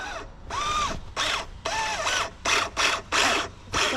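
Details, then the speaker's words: Redcat Racing Vigilante RC truck: bursts of high motor whine on each throttle blip with harsh ratcheting rasp under load; differential gears stripped and skipping again. "oh my god dude red diff is blowing already it is red diff is completely blown again this Ain right are you [ __ ] serious"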